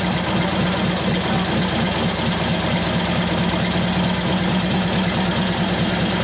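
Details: 1941 Harley-Davidson WLD 45 flathead V-twin, custom 56ci stroker build, warm and held under hard brake load in second gear: a strong, even, lumpy beat that holds steady without missing or popping. It sounds healthy and better than it used to, as though it has a cam.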